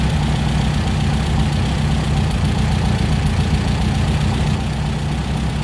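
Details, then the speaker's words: Injected VW Beetle (Fusca) air-cooled engine with four TBIs after resurfacing the intake manifold bases and fitting new gaskets to cure a false air leak: steady, even idle, deep rumble, no hunting; rpm now stable. "Beleza, juntas novas, conjunto montado, eu fiz novamente o teste e a rotação se manteve agora estável. Problema solucionado."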